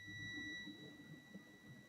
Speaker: which is normal. You're supposed to have that.